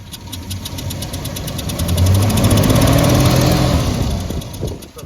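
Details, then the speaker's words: 1969 Dodge Charger 318 V8 idling with breather off on a road trip: heavy low chuffing about three per second from the open breather, worse than before; cylinder compression blowing into crankcase, one cylinder suspected failing with tailpipe smoke. "oh yeah hear that that is um compression coming out of a cylinder into the crankcase with the Breather on you don't hear it"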